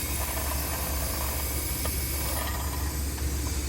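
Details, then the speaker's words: Refrigeration unit's tired, struggling compressor gives a steady low hum with constant hiss, venting through its internal high-pressure bypass; the condenser fan motor isn't working, its blade broken off and jammed, and the condenser is very dirty. "sounds like it's going off on internal bypass this guy's tired it is struggling so that is going to be High Press bypass what the heck is there a piece of the fan blade down there oh the condenser fan motor is not even working"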